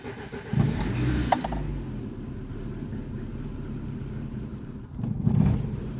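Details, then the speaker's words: VAZ 2115 starting cold: low uneven rumble with brief surges as it tries to catch, then sags and stalls; hard cold starting suspected to be an intake air leak, and valves also noisy and needing adjustment. "і лохне таке ощущенние як подсос воздуха десь є"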